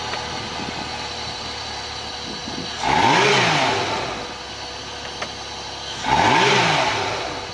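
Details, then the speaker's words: Honda 225 four-stroke VTEC V6 outboard on a 1994 Grady White Seafarer 226, run on a flush hose after a misfire was fixed with minivan parts: it catches twice with a quick rising rev, then settles to an even, car-like idle with no stumble. Normal start and idle. "Now, I want you guys to pay attention to how this thing sounds when it starts. It sounds exactly like a car."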